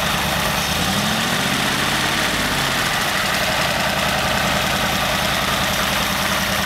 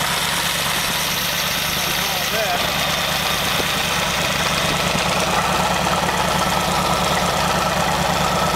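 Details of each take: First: Very old stock Studebaker 259 V8 with AFB carburetor and new Evans intake, third restart test: catches within a second or two and settles into a steady, even idle rumble, no misses or knocks; normal start and idle. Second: Very old stock Studebaker 259 V8 with AFB carburetor and new Evans intake, first start, idling about 700 rpm at 18-19 in vacuum: loose, uneven rattle over the engine note, not following firing beat; loose water pump rattling, to be fixed.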